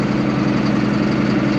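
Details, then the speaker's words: Allis Chalmers 7580 tractor diesel at idle, just fitted with a new factory-style muffler replacing the chrome stack. Steady, muted low rumble with no knocks or rattles; it sounds more like a 426. Healthy. "All right, the new muffler on. Sounds more like a 426."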